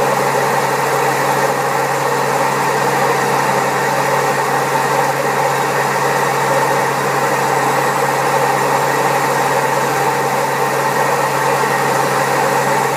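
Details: Old Servis Caress 1300 A washing machine, also with a creaky pump, spinning at 1300 rpm: loud, steady roar with a constant hum through the fast spin; very bad drum bearings.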